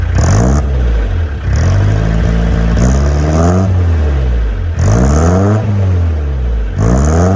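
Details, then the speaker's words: Peugeot J9 van, about 40 years old, cold start, new homemade stainless exhaust and silencer: repeated throttle blips sweep up and fall back smoothly with a mild rasp, engine still audible beyond the exhaust; healthy, not overly loud. "And as the smoke settles, we can just take in that nice tone that it's putting out. I think it sounds quite nice. I can still hear the engine beyond the exhaust."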